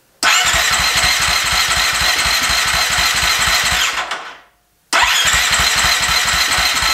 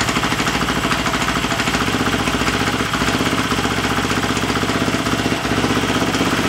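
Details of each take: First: Husqvarna FE350 converted to FE 366, first start after a full rebuild: electric starter cranks in even pulses, about four a second, in two bursts that never catch. The spark plug wire was not fully seated on the plug. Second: Husqvarna FE350 converted to FE 366 idling in the garage after a full rebuild, with the spark plug wire reseated and idle raised slightly: steady even single-cylinder thump with no misses or knocks. Healthy idle.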